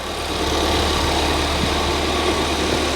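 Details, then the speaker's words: Ford Fiesta ST, just started after fitting a replacement cloned ECU to cure a previous misfire: smooth, steady idle with no stumble or missed beats, slight fuel-rail clicking; runs clean, no misfire. "it's running right it's not misfiring it's definitely not misfiring it's a bit that clicking is coming from the fuel rail the engine sounds sweet"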